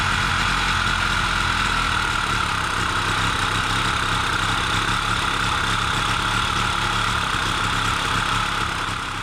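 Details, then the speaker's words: Solex two-stroke moped on castor-oil premix, first run after sitting through lockdown: steady even buzzing note at constant speed, no misses or knocks; normal two-stroke idle. "the cilix is a two-cycle two-stroke bike and you have to make your own premix"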